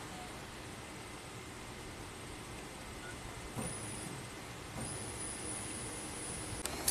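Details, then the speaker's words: 2003 Chevy Silverado Classic V8 with a no-crank fault, fuel pump commanded on bidirectionally with a scan tool: a quiet, steady high-pitched hum comes on and holds even. Fuel pump running normally. "one quick check I just want to see if I can B directionally command this fuel pump on yep you can hear it"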